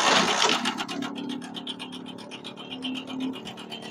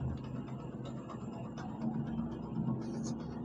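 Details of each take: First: Motorcycle engine with a thin metallic chatter of about four ticks a second over a quiet idle; mechanic says the timing chain and roller/tensioner are worn out. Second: Kick-started motorcycle with a spring fitted for the worn cam timing chain and roller: a steady low engine hum with an even beat and no rattle or ticking, now quiet. Normal idle.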